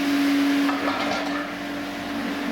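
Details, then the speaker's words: DAB Jet 102M pump station, single-phase 1130 W motor, bench-tested from a water tank after a suction-side connection leak: steady even hum easing slightly as pressure builds with the valve closing; running normally. "станція одразу починає качати постійний струмінь води закриваємо вентиль і бачимо що створюється тиск"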